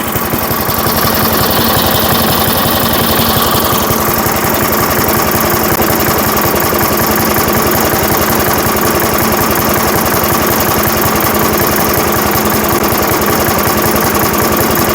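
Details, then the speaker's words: 1980s Firestone 22-inch mower after about 20 years of storage; owner says the carburetor diaphragms need time to soften: single-cylinder chuffing slow and lazy while he adjusts the carburetor for more speed. Low idle speed. "more speed. I need Little more speed."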